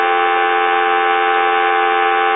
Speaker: and as you can see it's no longer noisy